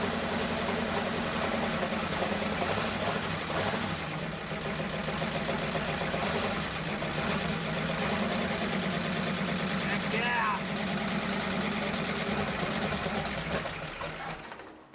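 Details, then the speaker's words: 1962 Ford Thunderbird convertible V8, first start after sitting over 20 years in a collapsed farm building: even idle, timing good, no backfire, with light quick valve-train ticking clatter, believed from sitting; may need oil pump priming if it persists. "We got a little valve tray noise clattern, which is super common for engines that have sat a while."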